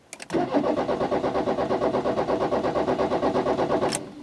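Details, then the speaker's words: 1984 VW Rabbit Diesel 5-speed, first start attempts by new owner: starter turns over about three times a second without catching, then stops. No-start because glow plugs not preheated long enough; starts after holding longer. "nope hold this in a little longer okay there we go"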